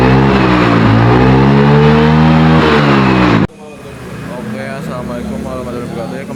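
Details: Carburetted Yamaha Mio/Honda Beat-type scooter, hard to start in the morning, heavy starter: revs climb unevenly and stumble between blips with no pull; throttle hesitation.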